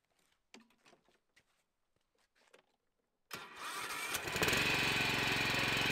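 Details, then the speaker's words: 2010 Honda HRX 537 (HRX217) walk-behind mower, 13 years old: engine fires and settles with steady high whine that disappears when blades engage; engine fine, owner suspects blade clutch bearing, later replaced. "you can hear a noise disappear when I engage the blades I guess that's a good thing and there's nothing wrong with engine I think it's something wrong with the clutch or a bearing"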